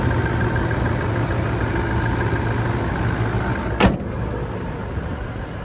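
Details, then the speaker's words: 2018 Toyota Landcruiser GXL 200 Series diesel, idling, heard under the bonnet: steady even idle with a low smooth beat and one brief clunk midway, but no major knocks, rattles or squeals; engine healthy. "As we listen to it run though, there's no major knocks, rattles or squeals."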